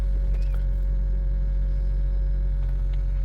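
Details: 2014 Honda Vezel hybrid after fixing P0303 misfire by finding a faulty injector and clearing codes: smooth even idle with no stumble; rescan shows no codes.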